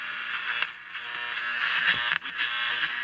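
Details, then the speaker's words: Philco Transitone tube radio, just powered up after restoration: scratchy crackling static with sharp pops and brief dropouts as the dial turns. Tiny metal shavings ("cat whiskers") between the rotating tuning condenser plates are shorting them. "crackling noise what that is is there's cat whiskers that have gotten down in here you see these little rotating plates sometimes you'll get like little magnetic or frustratingly small and tiny little metal shavings it'll get between those tuning condenser plates and that'll cause a basically a shorting problem"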